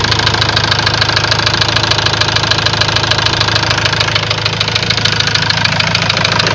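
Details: Ford Transit diesel at idle: a steady, sharp ticking knock at about 200 per minute over a rough idle. A warning light later lit and revs stopped rising; codes showed high-pressure calibration data, cylinder balance and a leaking injector. Cause not confirmed.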